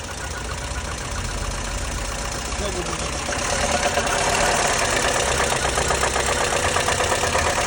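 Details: Lada Kalina 8-valve engine at idle with a regular tapping knock, about three per second, growing louder as revs rise; owner asks what the cause could be, unconfirmed.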